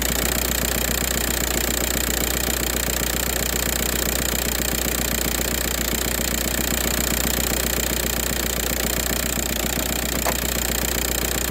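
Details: 2004 VW Jetta TDI diesel with a morning no-start problem unless WD-40 is used: even, rapid clatter at a steady idle with no misses or surging, a healthy TDI idle.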